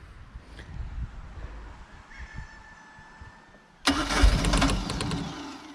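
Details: Mercruiser boat engine after starter solenoid replacement, started without pumping the throttle: quiet, then a brief crank and the engine fires on the first try into a strong, steady run.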